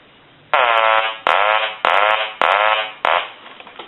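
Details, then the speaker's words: Hand-painted wooden duck telephone after repair: the ringer gives four loud, buzzy, even quacks on the ring cycle. Normal ringer. "so we're going to ring this telephone one more time and I'll let you hear the quack sound that it puts out it produces"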